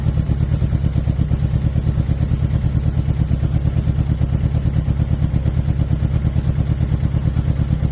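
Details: 2006 Suzuki GSX-R 600: deep, choppy idle with a regular chuff about three times a second instead of a smooth buzz; owner asks whether it is a misfire or dead cylinder, suspected misfire, not confirmed.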